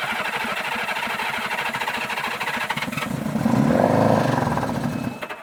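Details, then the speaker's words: Old Honda Goldwing after long storage, cylinders sprayed with WD40 and blown out, plugs refitted, bad gas drained and fresh added, ether shot: uneven chuffing on the starter, brief rough catch that swells and fades; hard starting. "we sprayed some WD40 in the cylinders blew the cylinders out we put the plugs back in we drained out all the bad gas put in some fresh gas going to give it a shot of ether here and just see what happens"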